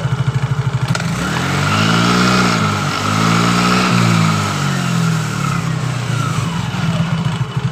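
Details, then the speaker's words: Yamaha Mio J scooter, heavy pull from standstill and at mid throttle but normal at high rpm, revved on the stand. The note swells and sags without crisp pickup: CVT clutch slip at the clamping of the secondary pulley bell. "slip ketika penjepitan di bagian dari lonceng pulinya ini."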